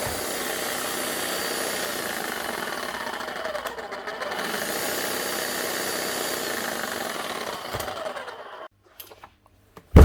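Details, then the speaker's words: Bosch GSH11E demolition hammer, 25 years old, heavily worked with worn tool holder: motor whirs steadily about eight seconds then runs down with no hammer blows; motor running badly, hammer not striking due to loose wobble ring, needs full strip and service. "right so she's doing squat she's the same as the last one not doing anything the motor's running badly the hammer is doing absolutely nothing"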